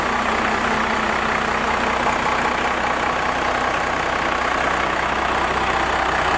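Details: Cummins diesel truck with 4-inch straight pipe, before advancing injection pump timing; loud, raw idle lumpy and uneven at very low speed, idle set too low and running rough.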